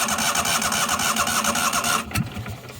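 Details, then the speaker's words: 1998 Yazoo YTKC22 three-wheel mower, owner suspects failing ignition and carb leaks fuel when tightened: starter cranks with a fast even chug and squealing whir, briefly catches, then dies; spark present, electrical gremlins suspected. "does that probably not supposed to be doing that she tried running there for a second"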